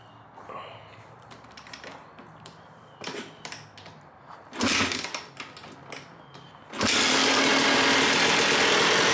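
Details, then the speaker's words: 1997 Suzuki RM250 two-stroke, abandoned bike revived, running choke off on a Mikuni carb after cleaning the jets; fires after some clatter into a crisp, steady, even idle. "The bike is running amazing. That muconeyuni carb didn't work at all on that KTM, but it works a treat on the Suzuki."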